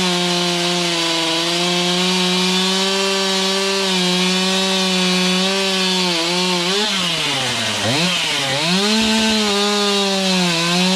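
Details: Stihl MS291 chainsaw after service work, cutting roughly 12-inch wood: strong, steady high buzz that bogs briefly under load and recovers quickly; cuts cleanly and runs well, though high and low carb adjustment may be tinkered with later.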